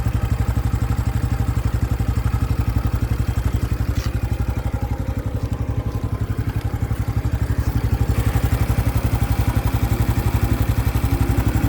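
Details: New 2025 Honda Biz engine shows a new noise after being accelerated to under 70 km/h: fast, even mechanical clatter about four beats a second over a low, steady idle; cause unexplained.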